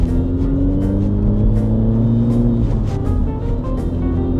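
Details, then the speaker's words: €400 petrol car driving, revved past 3000 rpm, coolant steady at a normal 80; tonal whine riding on the engine note and shifting with speed from under the bonnet; owner suspects a worn bearing turning with the accessory belt. "Mut tommonen aika aika sairas ääni kuuluu tuolta konepellin alta. Joku laakeri siellä on varmaan ihan loppu."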